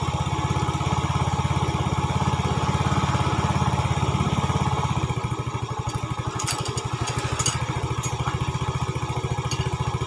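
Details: 2010 Yamaha Vega ZR single after rebore with oversize 50 piston, valves lapped, new valve seals and camshaft fitted, cured of rough knocking: even steady putt about three beats a second, no knocking or tapping; healthy idle.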